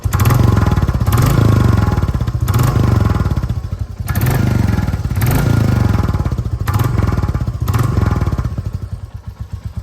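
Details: Royal Enfield Classic 350: deep thumping single at idle with a puffing chuff and a metallic rattle about once a second from an exhaust air leak. Exhaust leak and rattle.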